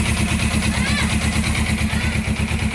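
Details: Suzuki GS500 twin at idle: steady low thump with an extra mechanical clatter over it, starter slipping past the ring gear; others suggest cam chain tensioner or magneto-side gear, cause unknown.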